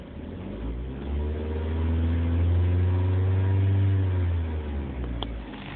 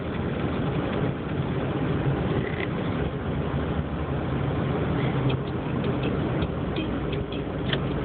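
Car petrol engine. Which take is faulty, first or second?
second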